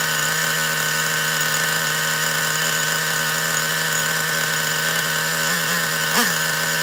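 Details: Traxxas Revo 3.3 nitro RC truck that had been running badly, apparently starved of fuel, with a badly bent exhaust: a high steady buzzing whine at even pitch with small blips, more fuel flowing and more smoke, now running normally.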